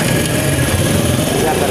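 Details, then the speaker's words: Honda CD70 single after engine-noise repair, at low revs: steady, even patter, no knocking, only a faint slight whine left, about 90% of the noise gone; normal running. "बाकी इसकी तकरीबन 90% जो है आवाज बिल्कुल ठीक हो चुकी है की साफ आवाज है"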